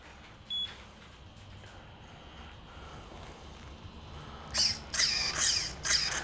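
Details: Ninesteps brushed waterproof 60A ESC fitted to a VRX Octane RC car, replacing a failed unit, and switched on with throttle trim zeroed: a short beep, then high chirping arming tones. The controller is arming normally.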